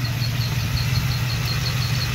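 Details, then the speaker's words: LT1 engine idling evenly with a high, thin squeak chirping about five times a second from the faulty mechanical fan clutch while the fan freewheels; squeak continues as the fan spins down after shutoff. "okay so what's happening here about squeaking sun that you hear is the fan the mechanical fan"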